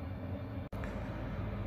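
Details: Chinese diesel heater warming an uninsulated tent trailer on a cold (about 0°C) Alberta spring day, reaching 17–19°C inside: low, even hum and fan roar holding steady without surging or pulsing; normal, smoothly running heater.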